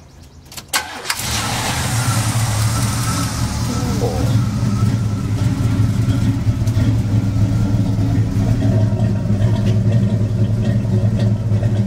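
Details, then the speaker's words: Dually truck engine on old gas after sitting, with a newly installed distributor; brief cranking, catches straight away and settles into a steady, even, deep idle with no misses or knocks, healthy; small exhaust manifold leak on one side noted. "Sitting around and then the estate and all that business, so it's got old gas in it. Sounds pretty good."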